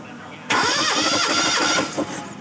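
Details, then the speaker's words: Four-cylinder engine cranked with a compression tester in cylinder 3's spark plug hole, which read 10.5 bar; the others read 13.5, 13 and 11.5. Starter spins the engine evenly and strongly. Compression judged still good, normal cranking. "Selanjutnya kita starter yang lubang ketiga."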